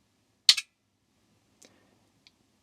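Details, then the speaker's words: Soft-start circuit for a 1KVA isolation transformer: an NTC thermistor with a relay bypass and an RC delay meant to hold about 2 seconds. One sharp relay click right at switch-on, so the relay switches instantly without delay. "Nope. The relay is switching straight away. Interesting."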